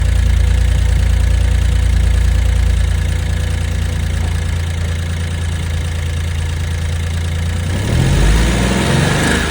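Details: Suzuki Jimny JB64 engine: regular knock three to four a second over rough idle, persisting as revs change; internal engine knock, engine later replaced.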